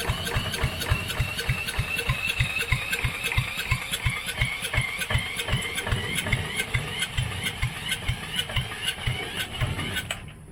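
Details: Coleman Contractor 4200 generator, sat unused for years, fed from a jar of gas and spun by a drill: fast even cranking chuff about four pulses a second, never catches; cranks, no start.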